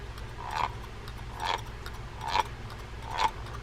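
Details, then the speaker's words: Early Mitchell CAP spinning reel, hand-cranked slowly: a scrape-click about once per turn, gear noise indicating something bad in the gears; cause not confirmed. "This one's kind of got a gear noise going. Yeah, there's something not right in this one."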